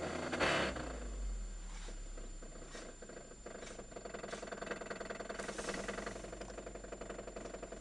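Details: Toyota Caldina with 3S-GTE engine knock: uneven knocking over a running, revving engine, source not pinned down in the clip; later reported fixed.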